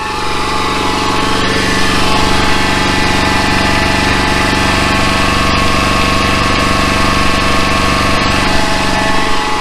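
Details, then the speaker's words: Truck generator set before generator head replacement, original pulley fitted. The head turns about 3,650 rpm with the engine around 2,800 rpm. A steady high squeal or whine rides over a rough engine hum: worn generator head. "we'll hear what it sounds like you can hear the squeal and hopefully it the squeal goes away we'll put the new generator head on so hang on"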